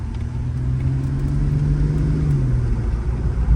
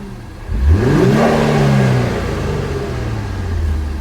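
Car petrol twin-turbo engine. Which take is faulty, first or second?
first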